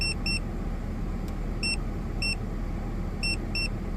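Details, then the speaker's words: Ford FG2 Falcon after P2110 throttle-body code fix (suspected air leak or dirty throttle blade): steady, even idle with chime beeps, aircon, radio and lights on, throttle steady at 14–15%; healthy idle under electrical load. "Put aircon on. Put the radio on. I might put the lights on as well. You can see like it's sitting rock steady at 14–15%."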